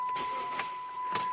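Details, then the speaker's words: Chrysler 300, no crank no start: two sharp single clicks about half a second apart over a steady warning chime, no cranking at all; usually indicates the starter solenoid coming apart or not plunging internally. "that is usually do that that is usually indicator of your starter solenoid coming apart okay or internally not plunging"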